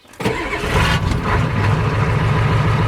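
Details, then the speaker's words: Four-wheel-drive diesel, started at half throttle without glow plugs: brief crank catches at once into steady, even clatter; clean start, good compression, no smoke. "What a champ. So I said, don't need glow plugs, that's got good compression. No smoke, nothing. Mint."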